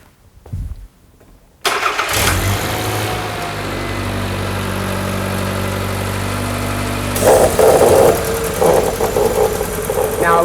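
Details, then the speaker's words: Engine idling evenly, then a sharp airy hiss joins as a vacuum leak is deliberately induced; a leaking vacuum line hisses and can cause lugging, poor gas mileage or overheating. "quite often you can hear a leaking vacuum line it makes a hissing sound for demonstration purposes I'm going to induce a vacuum leak for you now to show you just what I"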